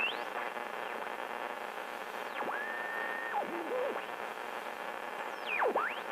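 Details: Delco 985672/985916 AM radio for 1964-66 Chevrolet trucks, bench tested, tuner needing adjustment and cleaning: steady hiss with whistles sliding as the dial sweeps between stations; receives and tunes, normal AM reception.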